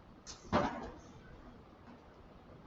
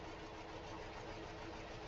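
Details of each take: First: 2013 Hyundai Elantra after installing two new ignition coils: engine starts first try and settles into a steady, even idle with no stumble or miss; misfire fixed, normal idle. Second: 2013 Hyundai Elantra four-cylinder with coil-on-plug ignition and a flashing check engine light idles roughly with an uneven, stumbling beat, like a struggling lawnmower. It is definitely misfiring, and the engine visibly vibrates.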